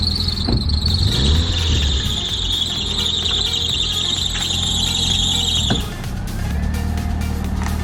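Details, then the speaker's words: Rusty Hyundai Accent that had been sitting: sharp, steady high-pitched belt squeal for about six seconds over low engine hum, then cutting off; slipping drive belt. "Did you hear that belt squeaking? Yep."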